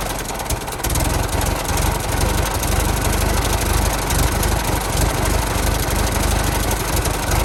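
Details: 1916 Federal Motors truck, 107-year-old four-cylinder that was seized and sat 50+ years, rusty radiator being filled with water; slow, lumpy idle about three beats a second, holding steady without stalling: normal idle.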